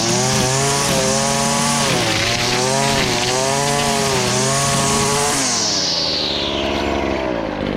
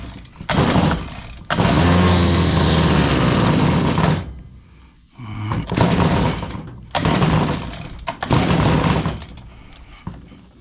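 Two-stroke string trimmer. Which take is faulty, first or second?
second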